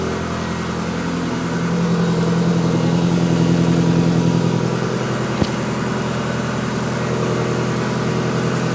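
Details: 1954 Ford F600 cab on Toyota Coaster bus chassis, after fixing exhaust noise from trunnion arm bolt contacting exhaust, not mainly mufflers; smooth even note rising gently and settling, much quieter, no ticking or rattling: normal running.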